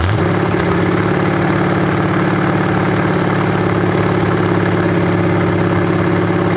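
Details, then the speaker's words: 427 big-block Chevy V8 on an engine run stand, first fire after sitting a long time; distributor timing adjusted, owner thinks the wrong way. Deep lumpy idle through open headers, steady even firing, no knocks or misses; normal stable idle. "I had to play with the timing, the distributor. I got it a little bit loose. I think I went the wrong way, but yeah, that sounds really good. It actually sounds really, really good."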